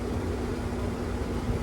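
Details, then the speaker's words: Window AC unit after cleaning and removing a dirt dauber nest from the fan blade, which had caused it to vibrate: steady, even fan rush and low hum with no wobble or rattle. Normal running. "I don't know if y'all can tell, but this air conditioner's running smooth now. It ain't vibrating."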